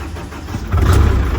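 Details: Perkins-engined CAT diesel generator, a non-starter with oil and fuel leaks, fired after bridging a wire for missing ignition power: quiet low rumble, then the diesel catches and jumps to a loud, steady, deep run.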